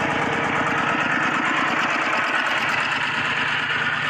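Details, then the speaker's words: Single-cylinder diesel walk-behind tractor engine used for water pumping; it had stopped with its engine oil run dry. After refilling with Siam Kubota oil it started and chugs steadily under pump load, no knocking. Running fine. "ตอนนี้ก็ติดเรียบร้อยแล้วครับผมหลังจากที่เติมน้ำมันเครื่องเข้าสตารเบิ่งโอเคครับติดแล้ว"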